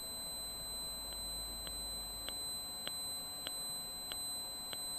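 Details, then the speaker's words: Circuit board on 24 V: steady thin high whine near 4 kHz with a light tick every 0.6 s. Pressing on components changes the tone, showing most of it comes from the microphonic ceramic capacitor C3. "this one seems to make a huge difference so the majority of the tones appears to be coming from c3 just here"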